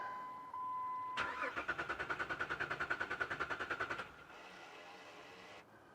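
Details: 2007 Jeep Liberty after new battery install, cranked after adding a couple gallons of fuel with gauge still on E; even starter churning about three turns a second, never firing: crank no start, no fuel pump pressure, owner suspects fuel pump.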